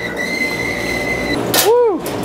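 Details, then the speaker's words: Laundromat dryer with a worn drum bearing, before bearing replacement: loud steady high-pitched squeal, then rising and falling squeaks as the drum turns; dryer bearing squeak. "Nah, we gotta fix that one. That's driving me nuts. That's gotta be horrible on the video."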